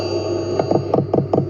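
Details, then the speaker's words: Hcalory 12V 5kW hydronic diesel heater on test bench running at maximum output, microphone touched to the fuel dosing pump: crisp evenly spaced ticks, about 27 per 5 seconds, over a steady heater hum; normal. "touch it to the pump, so you can hear the clicking really loudly and count the amount of hertz, really."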